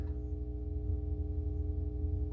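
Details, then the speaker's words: Atari Asteroids arcade cabinet power supply on with game board and monitor disconnected: steady low hum with a faint higher buzz, unchanging; buzz probably from lack of a signal, cause unconfirmed. "got a bit of buzz that's probably from the uh lack of a uh signal"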